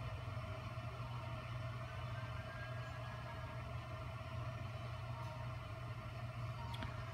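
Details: Bezzera Strega heat-exchanger espresso machine after boiler fully drained in repair test: pump drawing water to refill the boiler, steady even low buzzing hum without surging or rattling, flow rate great; normal pump operation.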